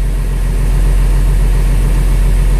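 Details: International 4900 truck with DT466 diesel after replacing a leaking pressure sensor on top of the air compressor: steady, even low diesel rumble at idle with no knocks, misses or hiss of escaping air; leak fixed, engine idling normally.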